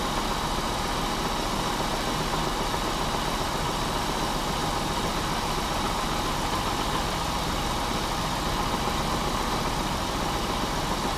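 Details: Pontiac Bonneville 3.8 V6 with coolant in the oil and oil in the coolant, idling once warmed up with oil pressure reading normal: a steady, loose knock under the exhaust note, described as rod knock.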